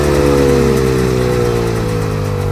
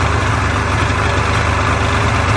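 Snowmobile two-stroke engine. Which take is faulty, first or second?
first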